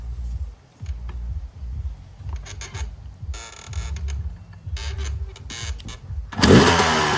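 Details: 1996 Yamaha YZ250 two-stroke after carb tune-up for rough low-end idle (pilot jet suspected), restarted after coolant top-up, still a little cold at about 13 degrees: slightly uneven idle picking up cleanly into sharp rev; sounds healthy.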